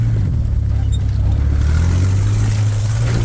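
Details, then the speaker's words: Budget-build vehicle driving donuts in a field under load: a loud, deep, raspy rumble without a muffled note. Exhaust leak; the owner guesses the cats were bad and someone cut a hole to relieve them. "Oh yeah, that's definitely an exhaust leak. I'm guessing the cats were bad and they cut a hole to relieve it so it run."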